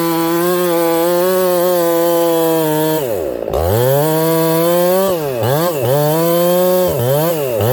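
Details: Ported Homelite 922 chainsaw after clutch and fuel line repair and a cooler heat range plug; a strong, steady high scream at full throttle, then clean dips and recoveries as it loads in the cut; normal running.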